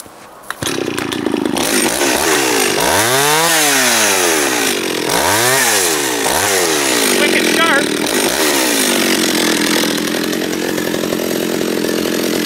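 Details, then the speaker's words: John Deere EV45 two-stroke chainsaw, made in Japan, with a freshly rebuilt carburetor. Crisp revs rise and fall cleanly, then it holds a steady cut without stumbling. The carburetor is set right and the saw runs healthy. "let it run let it sit there and run for five ten minutes maybe idle it and then juice it and see what happens"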